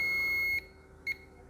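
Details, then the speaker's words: Dead MediaTek phone board on repair, multimeter continuity check at a capacitor after shorting: steady high beep then brief blip, beeping now on only one side where it previously beeped on both; diode-range check follows; continuity on one side, short to ground. "लेकिन अब केवल एक बगल से beep की आवाज आ रही है। . पहले दोनों तरफ यह होना ही था।"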